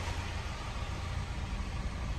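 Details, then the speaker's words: 1987 Volvo 240 GL wagon, first start after sitting an estimated 5+ years, fuel line flushed: smooth, even low rumble idling around 900 rpm, steady beat, no knocks or misses; normal idle. "so dang that is smooth whoa look at this she's idling"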